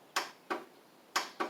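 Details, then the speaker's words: Craftsman riding mower with carb spray added and solenoid refitted: five sharp single clicks at uneven intervals with no cranking; starter clicks but the engine won't turn over, the owner suspecting a bad starter or battery before checking battery voltage. "and it does not could have a bad starter I could have a bad battery that might actually be my problem problem might actually be the starter how about that"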